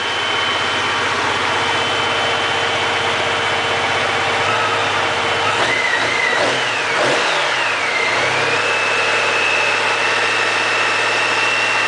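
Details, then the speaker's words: Honda Goldwing GL1800, about 40,000 miles, revived after sitting, warm about 15 minutes in: smooth even engine note climbing cleanly on a brief rev and settling back, cooling fans hissing on as expected; healthy engine. "This is what a Honda Goldwing engine should sound like at 40,000 miles. A little bit less. That dash needs a new lens. Somebody's been wiping it with gloves. And the fans came on right on cue."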